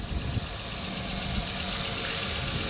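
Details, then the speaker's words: 1997 Dodge Caravan LE, 239,722 miles, after fitting a used junkyard coil pack and donor wire harness, sat a week; smooth, even idle on all six cylinders; normal idle. "239 722 miles oh yeah we're running all six oh yeah there we go ah she sounds healthy"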